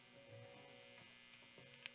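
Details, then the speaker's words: 55-year-old 1967 Gibson SG after installing new pots, back and knobs off, plugged into amp: steady low electrical buzz with faint upper edge and small clicks when first turning the knob. "first crank of the knob I hear a bit of a yeah there's a bit more of a buzz"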